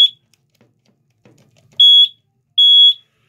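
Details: Watchdog water alarm wired to an AC condensate pump, battery test via an added switch: loud high-pitched beeps of about a third of a second each; the alarm and its battery work.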